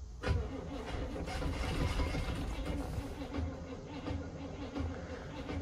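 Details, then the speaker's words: 1972 Barth RV motorhome, long-dormant engine primed with gas down the carburetor: fires and runs rough and uneven for a few seconds, then falters; it catches on a prime but won't keep running. "it did start I'm gonna prime it again see if I can stay running"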